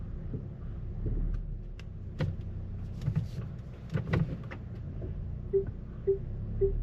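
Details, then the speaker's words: 2017 Volvo XC90, recently bought used with hidden damage, driven in drive mode over bumps: scattered dull thumps, then short squeaks as the front suspension loads; control arm bushing clunk. "you can hear the control arm you can also hear the suspension whenever you go over a bump um yeah it sounds louder on drive mode you hear"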